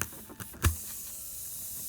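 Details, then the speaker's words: VW Beetle flat tire after the screw is removed and the hole is cleaned with a reamer before plugging: steady airy hiss of air escaping the puncture, following a brief tool knock. "Going to clean the hole. You can hear it hissing a little more. It's cleaned out."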